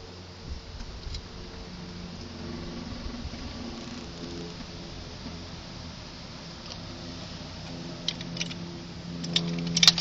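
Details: VW Golf MK4 1.6 8v with sharp, uneven clicks over a low hum whenever turning or going over bumps, as load goes on the front suspension; traced to the front shock absorber after wishbones, ball joints, bushes and links were replaced.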